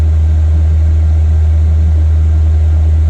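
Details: Newly installed 5 kW motorhome diesel heater, warmed up on its high setting and running on ordinary diesel: a steady, low, even hum from the blower with no pump clicking on top. The heater is running normally.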